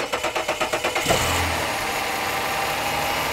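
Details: 2008 Dodge Charger with intermittent no-crank, starter relay bypassed by jumping pins 30 and 87 with key on: about nine quick, even cranking pulses in a second, then clean start into steady idle.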